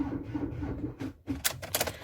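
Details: Ford Transit 115 350T RWD van, booster pack connected in the engine bay: a quick run of rapid light starter clicks with no cranking, then a pause; cause of the no-start is unconfirmed, owner suspects battery or parasitic drain.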